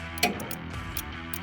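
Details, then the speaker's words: Troy-Bilt Mustang 50 zero-turn mower with 2-cylinder Kohler engine, seat switch bypassed for testing: a single sharp click as the electric PTO clutch engages with 12 V now reaching it after a wiring harness fault was traced and fixed. "that's the electric clutch, the PTO actuating."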